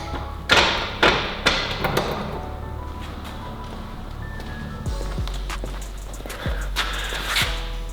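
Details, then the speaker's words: Built Subaru WRX STI, first crank with the crank position sensor unplugged: heavy jolting thumps about twice a second as the starter strains because the car was left in gear and the clutch slave cylinder was not yet bled. "oh I just had a panic attack that noise scared the crap out of me that was because the car is in gear the slave is still not bled"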